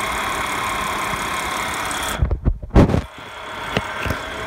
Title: 2015 Audi S5 Whining/Rattling noise?